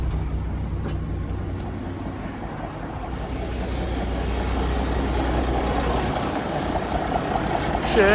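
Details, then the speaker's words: Paystar truck diesel, after radiator reinstall with new engine and radiator mounts, not yet hot: deep, steady rumble with an even beat and no misses; no smoke at idle, though it puffs black smoke when revved; normal idle. "Ain't smoking at all. Not at idle."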